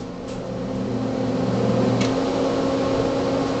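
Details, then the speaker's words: DEC RA82 fixed disk drive from a PDP-11/84, recently decommissioned after working and idle a week or two. On start it hums with a faint tick, then aborts after about a second or two and lights the fault lamp. Onboard diagnostics find nothing. "I'm going to push the start button and then it just stops and what happens is that theault light turns on"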